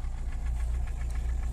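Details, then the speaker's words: VAZ 2103 after valve adjustment, knock caused by a loosened valve adjusting bolt: low steady idle around 900 rpm, about 850 with lights on, only light even valve tick; knock gone, normal idle. "Ну еще Давайте по привычке мотора теперь не слышно А едет он лучше За что мы и боролись"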